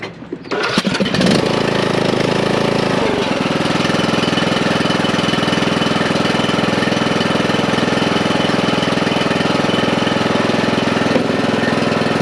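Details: Old John Deere riding mower, started with a jump pack: brief crank, catches promptly, then a steady even drone held for ten seconds without misses; engine running healthy.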